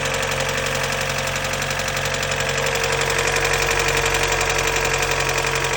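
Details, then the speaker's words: 1991 Mazda Miata 1.6 L with 23,000 original miles, engine oil-starved after a double-gasketed oil filter: sharp, even metallic knock about three times a second at idle; rod knock. "As I drove it more, the rod knock started showing up."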